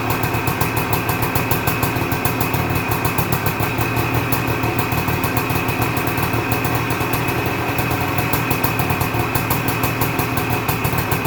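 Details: 1978 Suzuki PE250 two-stroke after year-and-a-half rebuild, first cold start: crisp rapid popping holds a steady even beat with no misses or surging; normal idle.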